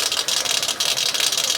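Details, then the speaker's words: Peugeot 206 at idle, belt noise whenever started: a high, raspy chirp pulses about four times a second, seeming to come from the accessory belt, which is the wrong belt (A/C inoperative) and nearly jumping off; accessory-belt bearing or clutch bearing suspected, unconfirmed. "Ó, o barulho parece vir daqui que é da correia de acessório."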